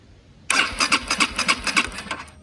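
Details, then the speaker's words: Honda CB125R with replacement 1,000-mile used engine: starter cranks in a quick, regular chug under two seconds without catching; coil had been disconnected, spark then confirmed, so a fuel delivery issue is suspected. "Bike isn't starting, so I've got a spark plug and I'm just gonna see if it is sparking."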